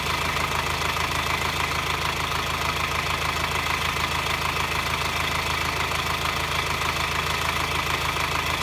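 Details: 2009 Subaru Forester diesel at idle, engine hot: sharp even metallic clatter roughly three ticks a second; only when hot at low rpm and during acceleration, worse in hot weather, none cold; no smoke, cause unknown to five mechanics.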